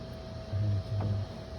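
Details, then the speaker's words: 2006 Ram 3500 dually differential being taken apart: two short, low groaning squeaks as the pinion is turned by hand, from a worn pinion bearing with play in its rollers that needs replacing. "hear that yeah that's that bearing that's what's squeaking whenever you turn it"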